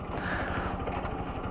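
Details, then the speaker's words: RS200 motorcycle held near 5000 rpm: buzzy vibration rattle over the engine note, attributed to the vibrating instrument cluster panel, fixed by removing it and putting double-sided tape behind it. "bu sesin nedeni ilk olarak temel nedeni şurada gördüğünüz şu göstergenin gösterge paneli diye geçiyor bu bu panelin titremesinden kaynaklı mükemmel bir ses yapıyor"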